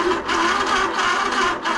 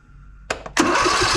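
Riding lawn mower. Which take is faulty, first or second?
first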